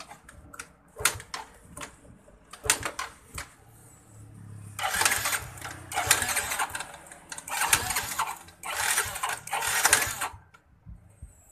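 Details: Yamaha Mio J fuel-injected scooter that won't start, showing no fault codes, with electric and kick start both failing: four one-second cranking bursts with no firing.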